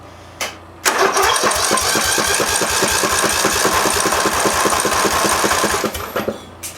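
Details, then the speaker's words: Massey Ferguson (Simplicity) lawn tractor advertised with a blown head gasket, 18 hp Briggs Intek OHV engine, cranking on the starter for a compression test with the spark lead grounded. Steady, even chuffs about four per second; normal compression. "So I'm going to crank the engine over. You want to get at least 5 cycles. So you want to get 5 compression strokes so you can record it on the gauge."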